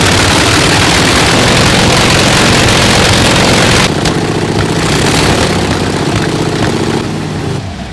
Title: Honda Monkey exhaust leak